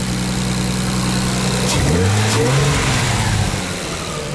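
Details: Nissan R32 stock engine revving; blips up and settles smoothly with a steady drone and no knock. An earlier noise, briefly suspected as rod knock, has vanished and can't be traced; oil pressure confirmed despite factory gauge reading zero.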